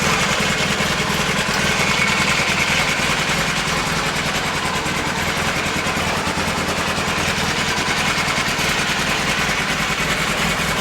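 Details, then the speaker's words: 1982 Honda CB450SC Nighthawk motorcycle, started on the electric start button: turns over and fires quickly into an even, steady idle with a smooth regular beat, no knocks or misses; normal idle. "press the start button and as you can hear she's turned over and started programs quickly and no problems"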